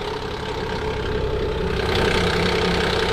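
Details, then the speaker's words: Nissan Pathfinder VQ40DE at a morning start: steady idle with a quick, fairly even rattle from the front of the engine, from worn timing chains, guides and tensioners that were then replaced. "that sounds more about what it normally sounds like so we're going to take it down to the shop pop the hood on it see what we can't figure out"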